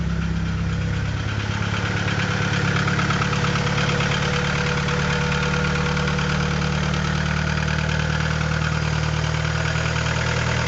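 Cold idle with a dull, hollow rapping riding on the low engine hum: piston slap before warm-up.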